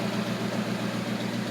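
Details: 1980 Lincoln Continental V8 idling after replacement of the ignition coil and starter solenoid fixed a no-start; new plug wires are being considered: a smooth, steady idle with an even pulse and no misfire or skip; it runs cleanly.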